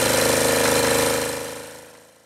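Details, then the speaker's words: Acme ADX 740 two-cylinder diesel, not run over 10 years, new fuel filter, lift pump bypassed: heavy rhythmic pounding thumps lose pace and fade as it dies, blowing smoke; runs rough, cause not found. "I bypassed that, ran the fuel line over and it's still blowing smoke and sounds like it's killing the engine."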